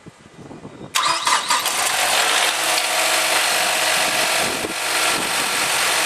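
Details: Mazda 6 MPS (Mazdaspeed 6): a short crank, then the engine catches cleanly and settles into a steady, even idle with no stumbling or misfire; normal start and idle.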